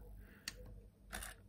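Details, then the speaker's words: PS2 fat SCPH-50004 (V10) with modchip, after replacing the LA6508 chip: a sharp click then a brief electrical grinding as the sled stepper struggles moving the laser forward at start-up; sometimes the disc spins up. "so what ends up happening is that if i turn it off and move the laser back a bit and then i start up there's this grinding noise in here and if i keep resetting it keeps moving forward sometimes it does so successfully but always with the grinding noise"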